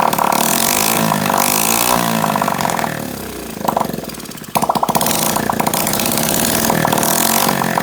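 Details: Honda SL70K1 that had a small fire under the tank, first start with fuel leaking: the small single buzzes unevenly, dipping and popping around four seconds before picking back up. Owner says the carburetor needs cleaning.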